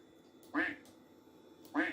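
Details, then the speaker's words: Macintosh after cleaning and resoldering, no recap: two crisp quack alert sounds from the speaker, no crackle or distortion; normal speaker output. "yeah it is this sound is coming from the speakers so yeah it's uh no distortion on the sound or anything like that"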